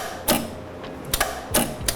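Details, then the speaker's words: Aluminum MIG setup not feeding wire on trigger pull: sharp mechanical clacks in irregular bursts as the big contactors pull in, no feed motor hum after; cause not yet found. "Yeah, sounds like an old pinball Look machine. at it. Pull it. Yeah, big old contactor."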